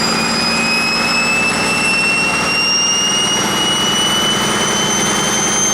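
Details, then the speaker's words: 1959 Caterpillar D337F diesel genset with about 960 hours, stored in a barn 10 to 12 years, running with no load and barely up to operating temperature. Steady, even run with no misses and a high whistle climbing as it warms: normal running. "seems to do pretty well of course them have a load on it or anything you know it's it's barely up to operating temperature"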